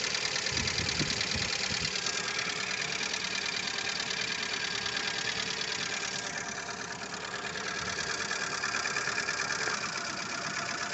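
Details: Lada Largus 1.6 petrol engine at idle: light, sharp ticking about three times a second over a steady idle, knocking from the hydraulic lifters.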